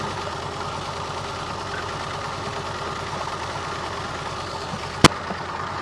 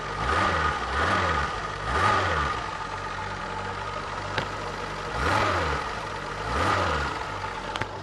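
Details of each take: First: Long-abandoned Renault Alpine V6 Turbo, PRV V6 engine, just restarted: uneven lumpy idle with irregular stumble under steady hum; spark and power confirmed, owner suspects a stuck fuel injector causing misfire, possibly others stuck. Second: Long-abandoned Renault Alpine V6 Turbo, PRV 4-cam V6, run from a Nissan Leaf lithium-ion battery at slightly high voltage: steady idle, clean pickup on repeated short blips, no knocks or misses; runs well.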